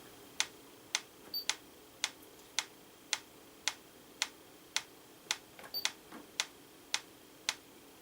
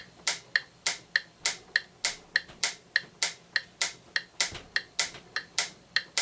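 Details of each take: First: 1940s–50s Franz FB-4 electric mechanical metronome, line-frequency referenced, after scope calibration at 112 bpm: crisp evenly spaced ticks about 538–542 ms apart versus 535 ms target; runs true. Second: Franz FB-4 electric metronome from the 1940s–50s, all-mechanical and timed from the AC line frequency, with a grinding noise: its clicks near 100 bpm slowly drift out of phase against an online metronome, so its tempo is slightly off before scope calibration.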